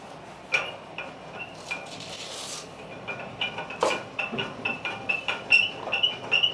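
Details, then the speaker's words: Ceiling fan long run without cleaning or servicing, before overhaul: uneven light metallic clicking and clinking, two or three a second, over almost no motor hum; the worn upper and lower bearings need the fan taken down and overhauled. "तो ऐसी आवाज़ अगर आपके फ़ैन में पैदा हो जाए तो ये शेयर शार्ट बेरिंग्स की आवाज़ है। इसके बेरिंग ख़राब हो चुके हैं, ऊपर नीचे के दो बेरिंग होते हैं वो ख़राब हो चुके हैं।"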